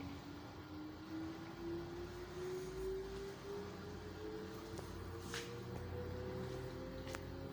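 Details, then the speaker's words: LG automatic washing machine with side packing fitted, on spin as rpm builds; the spin tone climbs as the drum speeds up, with a heavy low rumble building, noise increasing and the machine shaking and walking on the floor. Excessive spin vibration. "देखिए आप इसकी आवाज बढ़ती जा रही है है और यह ठठ्ठा करना शुरू हो चुकी है"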